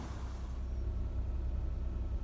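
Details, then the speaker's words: Nissan Almera/March/Note engine started after the front drive belt was adjusted to cure a chirp on cold start: steady low idle rumble with no chirp or squeal. "ครับอ่าใช่มั้ยพอstartขึ้นมาเสียงก็ไม่มีละอ่า"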